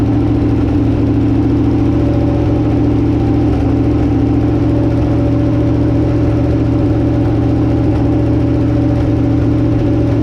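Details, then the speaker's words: Barn-find 327 V8, sitting since the 1990s, on an engine run stand with gauges and a short water pump: steady, smooth, even idle drone with no knocks, ticks or misses. It runs healthy, with a slight exhaust leak noted and possibly no thermostat. "this Old Barn 327 actually runs pretty good we'll go ahead and fire it up"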